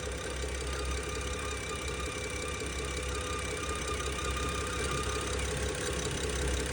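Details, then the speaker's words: Used BMW rough idle: uneven loose knocking pulse about three per second over the engine hum, a new noise that goes away when the oil cap is removed (pressure felt there). Owner suspects a vacuum leak. "so I'm not sure if you guys can hear that noise I don't know this sounds like a vacuum leak but another thing that makes me think that it's a vacuum leak is that this noise just started"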